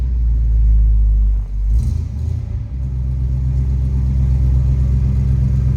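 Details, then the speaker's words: 1966 Chevrolet Bel Air 4-door wagon, 283 V8, cold start: deep, steady rumble at fast idle, even firing, no knocks or misses; very healthy sounding. "Very healthy and good sounding 283. It's got a nice deep note to it. Little rumble coming out of it."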